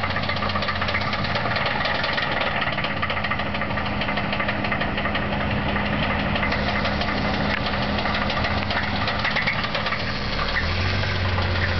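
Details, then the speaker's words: Ford Thunderbird with a bad 3.8 V6 at idle: a steady, deep knock repeating with every crank turn; suspected rod knock. "This is the Thunderbird with the rod knock."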